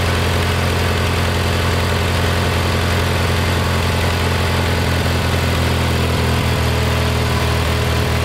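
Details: Kohler Magnum 20 after a carburetor rebuild, mixture screw slowly turned in from about 1.5 turns out toward the sweet spot at operating temperature. Steady single-cylinder thumping at fast idle, evening out slightly. Normal running.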